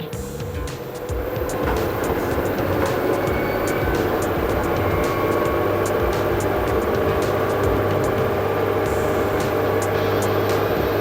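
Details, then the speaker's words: LG 8 kg washer / 5 kg dryer 2-in-1 inverter direct-drive front loader, Q test spin: a smooth motor hum climbs toward the 1400 rpm maximum with light regular ticks and no grinding or knocking; motor is fine. "Yeah, increasing RPM you can see with the Q test. Now again I will press, it will increase maximum 1400, this one maximum RPM."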